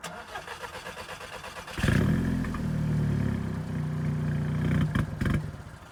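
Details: Scirocco that cranks but won't start or stay running, draining the battery: quick starter chatter, then a rough low run for about three seconds that dies out; cranks but won't stay running.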